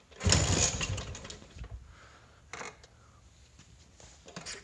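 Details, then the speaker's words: 1979 Vespa P200E two-stroke, 50:1 premix, fresh fuel lines and new filter, choke open: one hard kick, then weak scattered pops dying away with no catch. Has spark and fuel; owner suspects the new magneto. "nothing maybe the magneto is dead but I mean the things brand-new there it's got spark and it's got fuel"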